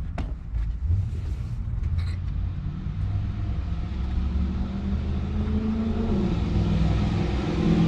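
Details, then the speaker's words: Nissan Sentra that shut off while driving, test light on fuel pump connector stays dark while cranking: low uneven cranking rumble that never catches; crank no start from blown fuel pump fuse. "so if you can hear the car cranking the light didn't light up so now we know the light didn't light up so now we know we have to check the fuse"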